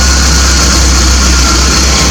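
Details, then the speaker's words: 1980 Triumph TR7 after water pump repair with refaced impeller seat: steady even tick-over just under 1,000 rpm, no misses, knocks or squeals; healthy idle, no leaks. "okay and as you can see just roughly under a thousand rpm she's ticking over quite nicely"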